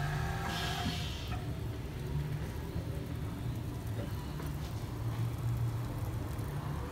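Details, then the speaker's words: 2016 BMW X5 (F15), rear air suspension sagging intermittently; pump activated through diagnostic component activation: a low, steady electric hum from under the car; the air suspension compressor is running normally. "activate let's see what happens you can hear the pump motor kicking on so the pump is in here"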